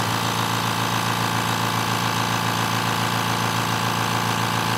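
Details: Steady motor hum with fast, regular pump chatter and no knocks or squeals as a compressor builds pressure toward 130 PSI.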